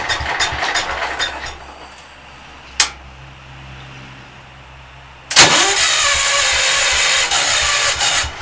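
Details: Hard-starting engine, not run over five minutes in a month or two, block not warmed: short cranking bursts, a quiet pause, then long loud cranking struggling to fire; owner unsure of cause, fears backfire.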